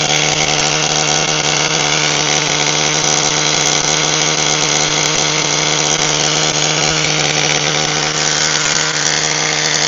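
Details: HPI Firestorm 1/10 nitro stadium truck, previously seized engine now repaired with good compression, preheated: shrill, steady nitro scream holding even pitch with no sputter or bogging; normal running (pinion gear destroyed during warm-up).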